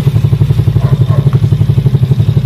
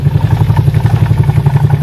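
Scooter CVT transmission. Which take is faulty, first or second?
second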